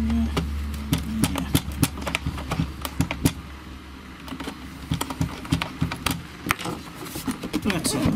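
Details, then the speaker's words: Seaward Europa tester powering up after CMOS battery replacement and re-soldering: a string of sharp, uneven relay clicks over a couple of seconds. This is the normal startup sequence, with soot seen on the relay contacts. "This sounds like its normal startup clicking."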